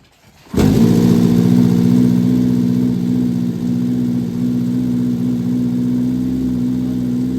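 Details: Vintage Honda 400 Four, 4-cylinder SOHC motorcycle, first kickstart after fitting carbs and coils and cleaning and setting points, fuel on reserve, a little choke, no throttle cable: catches at once, smooth even idle, no misses or knocks.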